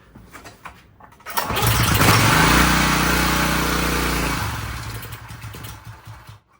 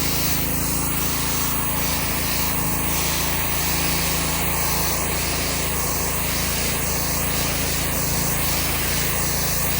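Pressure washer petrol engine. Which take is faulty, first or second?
first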